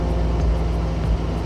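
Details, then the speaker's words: Club plane engine at cruise after the mixture is enriched back from over-lean while leaning: a steady, even drone at constant pitch with no roughness or dips, back to smooth normal cruise running. "it kind of went back up to that pitch that it was at before."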